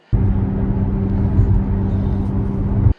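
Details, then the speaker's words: 2006 Lexus RX330 cruising, iPhone recording inside the car: steady low droning roar with constant hum under road noise, not stopping; worn rear wheel bearing. "and i would kind of give you an idea of the road noise you're hearing inside the car it has a roar it has a roaring sound that's a lot of r's put together that don't stop"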